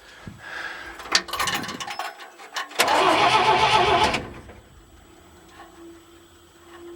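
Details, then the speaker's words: 1950 Dodge after a $5 starter repair, with bad wiring and leaky hoses and seals, deliberately not started: a strong, even burst of cranking with steady rhythm, no grinding or clicking. Normal cranking. "good enough that it turns over very happy with that and not bad for the 5 dollar repair"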